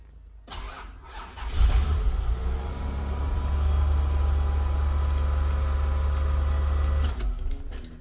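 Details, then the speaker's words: First-gen XV10 Toyota Camry after fuel pump replacement and immobiliser bypass, wires jumped at the harness. A short crank and clean catch lead to a steady, even idle with the fuel pump humming audibly; priming may be needed. Healthy start and run. "car runs and hopefully you can hear the fuel pump so you might have to prime it while trying to start it might be a bit harder to start but that will get your car running"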